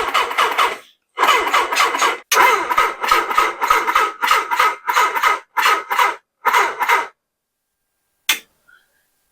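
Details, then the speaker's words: 1979 Suzuki GS1000 with a new Dyna ignition and pod filters, on a charged battery the charger flags as bad: uneven bursts of starter cranking, about three a second, with gaps and a near catch; a weak crank, suspected bad battery. "we're going to see if this thing fires it wanted to did you hear that it my charger is indicating a bad battery which I bet you if I threw this in the 750 it would start right up"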